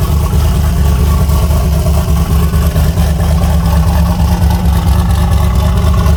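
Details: Chevy Nova V8 with S480 turbo swap, first cold start at about 27°F: deep lumpy idle with steady rhythm, no knocks or rattles, sounds healthy while warming up.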